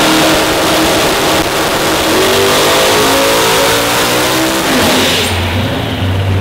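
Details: Turbo engine with a bigger turbo on the dyno, run with more timing. It pulls hard, but the rise is flat and slow with no strong boost surge, then the pull cuts off. Wastegates open early on low dome pressure.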